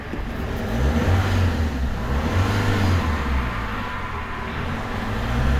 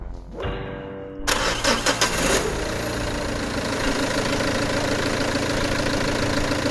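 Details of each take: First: Peugeot 307 2.0 HDi, codes P1112, P0204, stalls while driving, before repair: under light throttle revs rise, sag and rise again, struggling to hold 2000 rpm; engine hunting. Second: Peugeot 307 2.0 HDi with codes P1112, P0204 and stalling, after TDC sensor and diesel filter replaced: quick crank, fires straight away, even idle, smooth light rev; no leaks, runs better.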